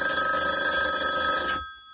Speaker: so what I'm going to do now is call line two and you'll hear the ringing